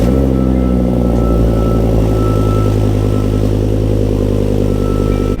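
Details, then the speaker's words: Volvo V70R five-cylinder at cold start: a steady, slightly uneven low chuffing, diesel-like idle with a faint whistle above it. Rough-sounding but a normal, healthy cold start. "The cold starts on these cars, they're cool, but they really don't sound great. Like, these 5-cylinders, they sort of sound like diesel-y in a way when they start up."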